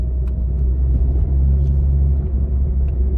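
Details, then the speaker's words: Mini JCW after engine rebuild and wheel bearing replacement, first proper drive: steady low road drone and engine rumble at cruise and uphill, with turbo whistle, no rhythmic hum or growl; bearing noise gone, normal driving. "it sounds great. Corners well as well. Corners like a go-kart. Brakes. Oh, it's got good brakes. Going up a hill. The Mini sounds amazing."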